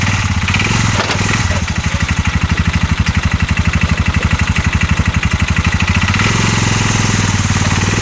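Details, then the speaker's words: 2022 Massimo T-Boss 750 EFI UTV, abandoned by a dealership, put in gear and driven forward. The engine chugs with a heavy, regular knock about four per second and the whole engine shakes under load. Source not yet found; the CV axles are tight. "oh [Music] that sounds absolutely awful I don't want to ride it too much like that it's just shaking the whole engine when I do it I can hear it just knock and knock"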